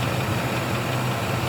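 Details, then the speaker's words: 2003 Chevy Silverado 5.3L V8 after replacing the worn AC belt tensioner/idler pulley that had screamed while driving: even, steady idle with no squeal or chirp from the belt drive; normal idle, the old noise is gone. "and it is running and it is you don't hear any of that noise coming out of it before"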